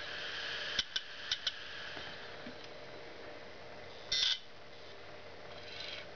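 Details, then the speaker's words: Failing Western Digital 80 GB IDE hard drive on power-up: it spins up and down, with four sharp ticks about a third of a second apart and a brief chirp over faint spindle hiss; the click of death. "as you can see it's spinning up and down and it's clicking the same oh crap"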